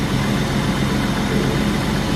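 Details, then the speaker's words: 1995 BMW E36 325i sedan, M50 inline-six, first start after fitting a new belt (idler pulley worn but spins free): smooth, quiet, even idle with a steady low hum, no squeal, chirp or rattle. Normal idle. "all right let's see if she fires up oh yeah our day works off no noises beautiful this is a nice sounding M50 it's quiet"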